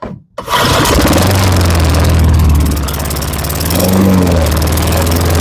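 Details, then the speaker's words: Lawn-Boy 10671 push mower, Tecumseh 5TPXS engine, first start after repeated start-and-die: catches after a gap, then runs loud with uneven wavering beat and surging; smoking, thought to be old oil in the exhaust, and stuttering. "yes she's smoking is smoking but I think that's just old oil that was in the [Music] [Applause] exhaust"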